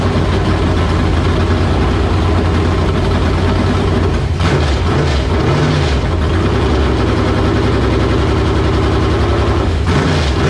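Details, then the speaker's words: LQ9 V8 with Texas Speed MS4 cam on run stand, Holley Terminator X base tune, long-stored: loud steady fast idle with slightly uneven lope, running rich, heavy fuel smoke not oil; owner suspects sitting caused it. "it looks like it's smoking a lot that's fuel smoke that's not oil smoke"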